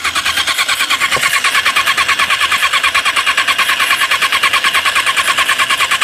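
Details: 1994 Suzuki Katana with new plugs, wires, coils, battery, cleaned and adjusted carb and floats: quick starter whirring about three pulses a second with no firing; cranks but still won't start.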